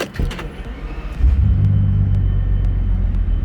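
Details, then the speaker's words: Bentley Continental GT just after starting: the starter cranks, the engine catches, then settles into an uneven, lumpy low rumble that never smooths out. A rough idle that feels like it is running on half the cylinders; cause not yet known. "right so that actually wasn't too bad but it's running really lumpy the idol is yeah the idol is not not great"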